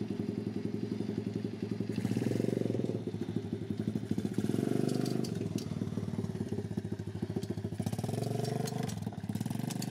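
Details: Homemade pit bike trike on a test ride, smoking heavily: small single buzzing with a loose slapping clatter that follows throttle; drive chain too long, with no chain guide, slapping; half link planned to take up slack.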